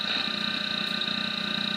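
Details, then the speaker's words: GE tube radio, about 97.6 V and 190 mA supply, 12BE6 converter: thin steady high whistle over faint hum, set breaking into oscillation regardless of tuning; cause unknown. "and you can hear the breaking into a little oscillation there I don't know exactly why but it is well if it's got anything to do where it's tuned to apparently not"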